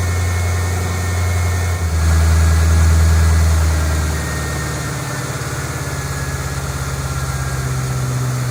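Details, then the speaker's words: 2008 Mustang GT convertible, first cold start after oil change from 6,000-mile oil to six quarts Pennzoil Platinum synthetic: fires and flares high, then settles to a steady, even low idle with no knocks; brief initial noise expected while oil circulates. "now understand that the first second or two that it runs it has to move the oil around so it will likely make a little bit of noise"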